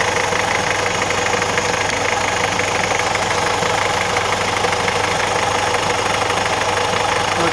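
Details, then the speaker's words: Alfa Romeo 916 GTV 2.0 Twin Spark Phase 1 at idle: uneven knock about twice a second, sounding like bottom-end failure; actually a new Gates balance shaft belt tearing apart under 1500 miles after timing kit install. "a bloody noise in the engine sounds like bottom and it's faulty but actually the balance of the belt is stealing in bits I'll show you what noise it does sounds scary"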